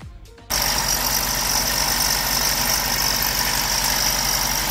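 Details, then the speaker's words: Honda Civic EK hatch on first start after injector harness extended; engine settles into steady idle with constant high thin whine, suspected coming from the A/C, check engine light on. "a weird ac sound coming right there overall not too bad"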